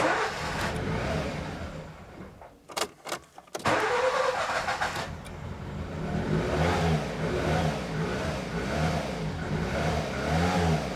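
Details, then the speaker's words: Nissan Micra K11 after flooding, plugs reinstalled and fuel pump fuse back in: stumbling start then uneven lumpy idle running on three of four cylinders; owner suspects badly fouled spark plugs. "But it is running. You know what? I'm gonna go ahead and go and buy some new spark plugs for this car. I think the spark plugs is the issue."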